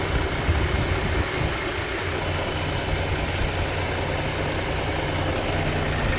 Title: What is the ticking sound and what is the sound heard at 0:20?